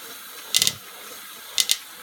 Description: The clicking noise only happens when the left pedal is down with weight.